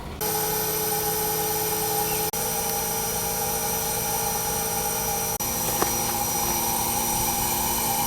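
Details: Newly installed, upgraded heat pump running in heat mode after vacuum pull-down: steady, even hum with soft fan rush, no rattles or knocks; very quiet, normal running.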